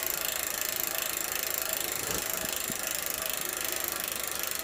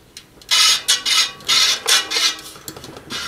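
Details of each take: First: Giant Boulder SE bicycle, old seven-speed freewheel just lubricated after drying out with grit: fast, even, crisp ticking while coasting, no grinding or skipping; freewheel sounds normal despite a slight wheel wobble. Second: Giant Boulder SE bike wheel spinning: a scratchy hiss sweeps in and out about twice a second as the wobbly rim rubs the right brake pad; fixed by tightening and loosening spokes to true the wheel.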